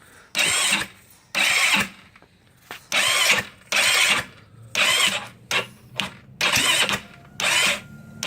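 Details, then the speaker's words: GY6 scooter engine after top-end reassembly: about ten short starter bursts with no firing; battery voltage drops when cranking, same when jumping the starter solenoid, still not cranking over or starting. "It does the same thing when you connect it to this solenoid here that connects to the starter motor. So it's still not cranking over."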